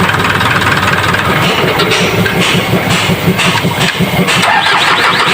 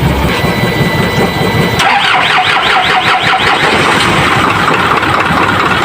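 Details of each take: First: Isuzu 4HL1 diesel after replacing dirty part and cleaning crank sensor: cranks briefly, catches cleanly and settles into steady, even clatter without misses or hunting; hard starting fixed, normal start and idle. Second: Isuzu 4HL1 diesel, hard starting especially when restarting warm, fuel pump needs priming: long rhythmic cranking before it catches, then uneven stumbling run that never settles to a clean idle.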